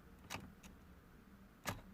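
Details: Nissan Qashqai J10 1.5 dCi, runs only when push-started: key turned, clutch pressed, just faint clicks and no starter crank; power steering and ABS faults too, all caused by a broken engine earth strap.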